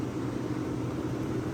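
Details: Vintage Westinghouse 10,000 BTU window A/C, possibly a Copeland or Bristol style reciprocating compressor, recorded near the condenser coils: steady, even low hum, smooth fan rush, no knocking or rattling; running quietly and normally.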